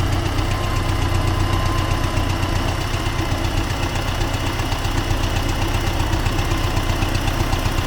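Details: T-40AM tractor diesel running in about -14°C after a month standing, during the test of the differential lock; loud clatter with a rough knock about two per second, engine knock, cause suspected but not confirmed.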